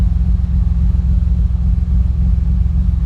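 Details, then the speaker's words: 2006 Honda Accord V6 J-series after Stage 2 cam install, hose reconnected, untuned: deep, choppy, steady lope about three and a half lumps a second at idle; normal big-cam idle. "Oh my God, listen to that loopiness. You hear that shit? Listen to that loop."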